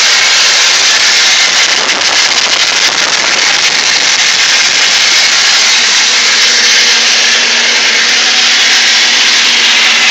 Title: m52 grinding noise